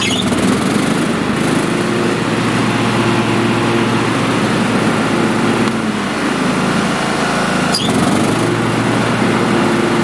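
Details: John Deere riding lawn tractor after replacing its 7-year-old (2018) battery, which had too little charge to engage the electric PTO clutch: small single engine starts, settles into a steady even drone, deck engages with a brief change, no misfire; normal running.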